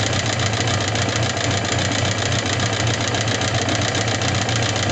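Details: Suzuki GSX750S Katana at idle: fast, regular light top-end clatter, about four ticks a second, since a day of hard revving; persists despite replaced rocker arms, camshaft, cam chain parts and tappet clearance adjusted 0.07–0.15 mm; cause unknown after shop teardowns.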